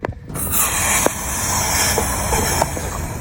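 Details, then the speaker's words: Short puff then steady airy hiss as the car's fuel tank cap is unscrewed, pressure releasing from the tank; activated carbon canister solenoid blamed as the cause, not confirmed. "hear that when I unscrewed the fuel tank cap just now there is a puffing sound"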